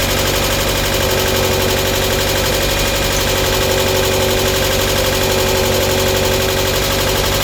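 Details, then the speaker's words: Mk1 Mazda MX5 at idle, first run after sitting a long while and with oil just getting round: steady idle with a quick light ticking. Cause not confirmed; the lifters on the cam were later said to need sorting out. A small downpipe exhaust leak was also noted. "A little bit ticky perhaps, got the oil going around it, hasn't been started for a long while, so exhaust leaks are the things I'm mainly worried about."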